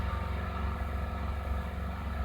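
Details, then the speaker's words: 2001 Toyota Kluger 2.4 L 2AZ-FE at idle; low uneven hum with irregular dips, engine shaking, misfiring at idle but not at higher rpm; cylinder 1 ignition coil later found cracked and replaced. "so all that shaking is from the engine misfiring uh so we have uh clearly misfire at idle but none it's not misfiring at high"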